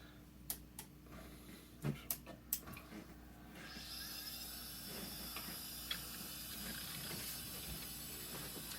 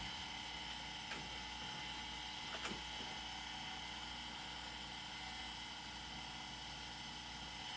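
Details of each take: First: An old IDE hard drive, tested without its jumper, gives a few sharp ticks, then a rising whir and thin high whine as the platters spin up. It is detected as an unknown device or not found, and the ticking suggests a failing drive. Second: Old IDE hard drive powered up after jumper change: faint steady high whine with a couple of soft clicks, platters spinning with no grinding; normal spin-up.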